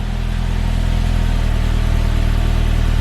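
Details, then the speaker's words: 2003 Saab 9-5 Linear after PCV oil-consumption fix, cold engine with revs held high before dropping to normal idle: loud hollow droning booming exhaust, way louder than before; rear silencer has lost its packing. "It's way louder than it was, that's for sure."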